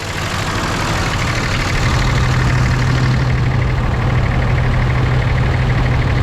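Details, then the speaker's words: Warm 2006 Ram diesel with exhaust brake engaged: heavy rumble deepening into a steady low drone, sounding like a semi's exhaust brake and working properly. No blow-by found. "so it makes a little bit of a different sound sounds like a semi exhaust break right over there"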